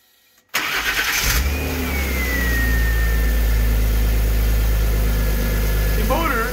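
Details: BMW E36 petrol engine with replacement ECU from a stock car (EWS should be programmed out) cranks briefly, catches and settles into a steady, even idle with a faint whistle; owner suspects a water pump rattle.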